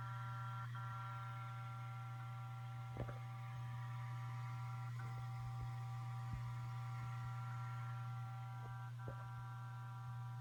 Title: ST8000DM002. Buzzing noise when idle